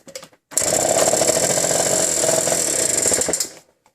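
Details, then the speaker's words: 1980 Yamaha LC50 Champ two-stroke, petcock refitted, hard starting: kicked over, it catches and buzzes unevenly for about three seconds then dies, as it does nearly every kick; cause still a mystery, acts like dying for fuel. "and this is as far as i've gotten lately it runs for a few seconds someone dies on me"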